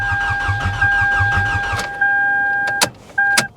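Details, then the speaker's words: Salvage-auction car on a booster pack, with power and gas: the starter cranks briskly at an even rhythm for a couple of seconds but the engine never catches. Owner thinks the cause of the no-start isn't major. "yeah i mean she sounds like she cranks pretty good though so whatever is wrong with it as far as why it won't start i don't think it's anything major"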